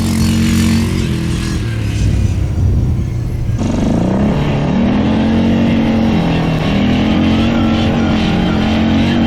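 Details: 1998 Yamaha Grizzly 600 4x4 ATV on a test drive after repair, formerly limited to about 10–15 mph: single-cylinder note pulls smoothly through steady and rising revs, no stumbling or cutting out, easily going 55; running properly.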